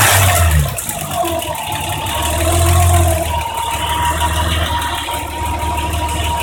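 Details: BMW M20B25 six-cylinder after valve adjustment, idling then revving, with a faint light ticking on the engine note; valve train noise suspected, not confirmed.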